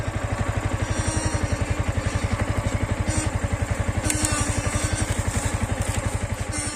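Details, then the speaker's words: Two-year-old Yamaha MT15 at idle, after a chain and brake change: short high chirps come and go every second or two over a steady putter, a squeak from worn rubber boots 1 and 2 that need replacing. "তো এই দুটো লাগবে, এই দুটো লাগালে তোমার এই যে শব্দ কিচ কিচ কিচ, এটা তোমাদের মানে জীবন থেকে এটা রেহাই।"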